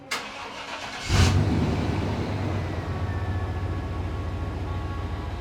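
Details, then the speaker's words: OBS Chevy K1500 V8 restoration truck started after oil change (five quarts fresh oil), no leaks: quick crank, catches and settles to smooth even idle, no knocks or ticks; good oil pressure, healthy. "all right she's running she's got good oil pressure I guess this is the part we find out if we fix anything but it's got clean oil so we'll just do regular oil changes from here on out and it should live a long time"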